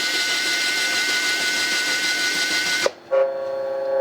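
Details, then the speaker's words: U.S. military RT-834 HF transceiver (GRC-106A set), receive/transmit frequency fault: hiss, a click on retune, then a steady mid-pitched tone sitting off its mark; the unlocked 100 Hz synthesizer loop never relocks. "It's off frequency again. 1 kHz higher. two kHz higher. Three goes completely silent. That's all the way up to 9 kHz off. It never does relock on."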